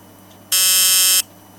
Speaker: it's not supposed to buzz like that but the way I've got the what I've done with a power makes it make that noise